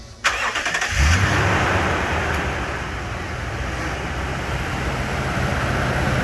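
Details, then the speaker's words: 2007-2011 Toyota Tundra 5.7L V8 just after installing a RedRock 4x4 cold air intake: short crank catches at once, brief flare, then even steady idle, no warning lights; normal start and idle. "So everything's on. I got no lights on, so that's always a good thing. It seems to work. It sounds good."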